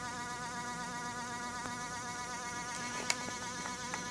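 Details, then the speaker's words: Brushless E-Revo RC truck: the ESC cooling fan is still screaming, a thin steady insect-like whine that never changes pitch. Squealing fan persists; owner is asking for fixes. "As you can hear, my fan is still screaming away."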